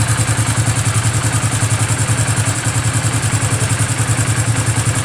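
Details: Hero Passion Xpro i3s motorcycle idling after timing chain tightened to fix a sound problem: steady, even single-cylinder thump, no tapping or rattle from the top end; normal idle after repair.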